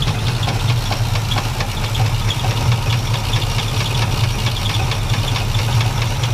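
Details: Chevy C10 pickup with 350 Chevrolet V8, sat about five years, restart: deep steady rumble at idle with a dull repeated knock roughly one and a half per second; rod knock from a worn rod bearing.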